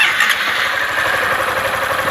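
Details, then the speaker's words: Honda Fan 160 motorcycle at idle: a steady, fast light ticking with a faint squeal from the roller rocker arms, normal for this engine; adjusting the rockers to silence it risks tight valves. "Ó esse barulhinho é assim mesmo tá bom menino fica preocupado não pessoal"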